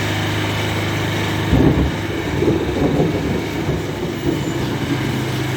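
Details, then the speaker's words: Murray riding mower with a Briggs & Stratton single-cylinder engine, test run after reassembly: a steady, even idle with only light roughness and no knocks or misses; it runs healthy. "runs pretty good"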